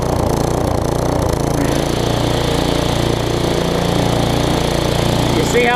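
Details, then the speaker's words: Newer Tecumseh vertical-shaft engine on a 20-inch weed trimmer after aftermarket carburetor replacement: loose pulsing rhythm rising and falling with no load on the engine, smoothing once the trimmer is engaged; no-load surging. "i went ahead and replaced this but you will hear this thing does surge and like i said it's because there's no load on the engine whenever it's running"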